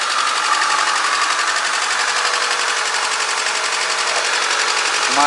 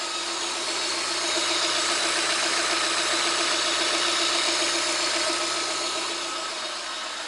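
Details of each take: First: VAZ 2110-12/Priora 124 16-valve engine, cold start after head reassembly with new seals, oil and filter, chasing a knock: check light flashing, fast uneven idle with stumble, running on three cylinders until warm; owner suspects coil or plug; cold misfire. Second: VAZ 2110-12/Priora 124 16-valve engine after head reassembly, hunting a knock at about 63°C: knock disappeared after a minute; now an even, steady idle with a smooth hum and no knocking, running normally.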